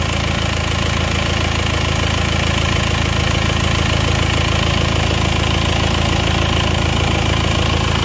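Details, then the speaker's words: Isuzu Panther diesel, brought in for heavy oil-filler blow-by, after repair, warm at 73 °C following a test drive; steady even diesel clatter at idle, no misses or knocks, sounds like new, no dipstick smoke. "Untuk mesinnya suaranya halus ya, ini suaranya halus, oke, seperti baru."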